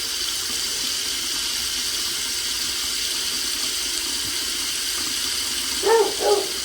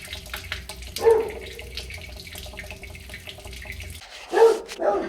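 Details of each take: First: Rental property faucet after shutting water off and bleeding air from the rattling line: smooth continuous hiss with no sputtering or pipe rattle; steady flow. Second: Faucet spitting and sputtering unevenly with a rattling water pipe in a rental property, from an air bubble in the line; air still present after refilling the chamber and bleeding all taps; dog barking.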